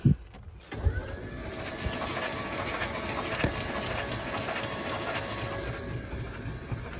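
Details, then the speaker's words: Engine that sat 20 years, cranked with all spark plugs out, WD sprayed into the cylinders, in neutral with the clutch pushed. Steady starter whir with soft, even puffing from the open plug holes and no binding or clunks, so it turns freely. "You can hear that, just the puffing. That's all we want."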